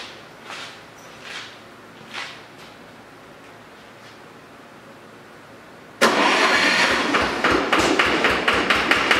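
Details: Lister-powered air compressor after maintenance, regulator set to 60 psi and automatic drain plug refitted: engine fires and runs with a steady chug of about three beats a second; healthy, even run.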